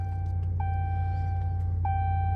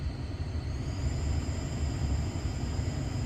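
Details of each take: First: 2018 Dodge Ram 1500 after installing a new blower motor: steady low fan whoosh with a faint tone, no rattle, squeal or ticking; a big improvement over the old squealing motor. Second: 2018 Dodge Ram 1500, bad blower motor before replacement: a thin high squeal rides steadily over the fan's airy rush and steps up in pitch as it speeds up, with some unrelated beeping.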